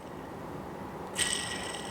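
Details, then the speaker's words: Truck accessory idler pulley removed and hand-spun: high, rough, ringing whir from a badly worn bearing; two idlers noisy, all three same-age idlers being replaced with updated pulleys. "oh yes this one is bad bad bad so let's remove the other two and we'll compare them as well"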